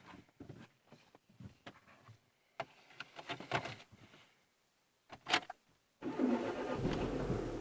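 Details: Renault Megane 2 steering rack knock: irregular dull clunks, a couple a second, as the front end is worked with the engine off.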